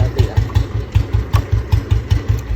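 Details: Royal Enfield Bullet (1974 or 1997 bike) after a complete rebuild, idling: steady, even single-cylinder thump about five beats a second with no knocks or rattles; runs healthy. Both bikes can be hand-started.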